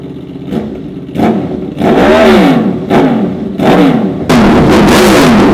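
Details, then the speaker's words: Honda VFR/CBR hybrid V4 motorcycle with new custom dual exhaust, warmed up with fresh oil and coolant, crisp throttle blips rising and falling cleanly over a steady idle, even firing, no knock; healthy free revving. "All right, guys, so I have to say the dual exhaust with this V4 engine, that sounds freaking amazing. Not too many street bikes sound like the V4 engine at all."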